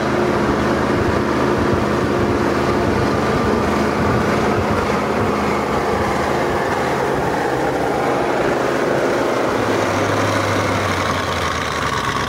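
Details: ZIL truck engine started with fresh battery and crank handle, then driven a bit further up a hill; steady, even drone with no knocks or misses, running healthily.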